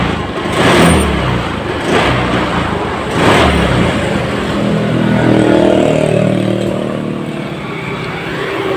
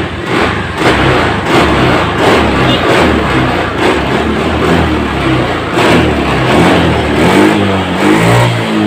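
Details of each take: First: Honda Scoopy FI scooter with no MIL warning: engine surges in three uneven throttle bursts that bog and go empty instead of pulling, a severe stutter and power loss; fuel pump pressure being checked. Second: Honda Scoopy FI scooter after repair of a bad stutter and lack of power. Quick throttle blips now pull cleanly and responsively like new, and total pressure is measured as very strong.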